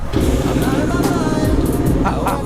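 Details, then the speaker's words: Desert racer ATV engine, newly installed and first started, running off a Dynatek CDI after a bad switch block was replaced: small single revs briefly then settles to a steady, buzzy idle without misses, running well. "I'm sweating it out out here but this thing is running pretty well right now it's idled down"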